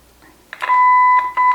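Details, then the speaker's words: Kenwood KA-5700 amplifier with sudden no sound on both channels, traced with signal tracer: test tone cuts in and out, returning when switch pins are bridged, restoring left and right channels; faulty switch. "So, the connection is not being made with this switch. There's a faulty switch right here cuz I I should actually hear this."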